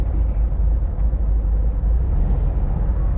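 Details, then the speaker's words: 1971 VW Bus, carb previously popping, now lugging at low revs while driving: steady, even low rumble with only road noise on top, no popping or stumbling; engine running smoothly and quiet. "Thing's quiet. Yeah, I might bump up the idle."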